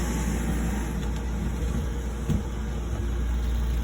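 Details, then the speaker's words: System 2000 oil-fired boiler with the burner cover put back on, not yet fastened: low steady hum with a soft airy roar, no rattles or pulsing; burner quiet and smooth, inducer louder than burner. "And we put this back on. Nice and quiet."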